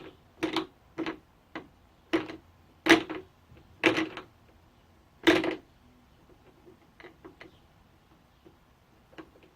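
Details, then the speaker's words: Handmade wooden spur gears with bandsaw-cut, filed teeth, turned by hand: loose, irregular knocks as the teeth bang into each other, with visible play and some binding. Gear clatter from excessive backlash. "however when listen to them you can hear that they're quite noisy they kind of bang into one another"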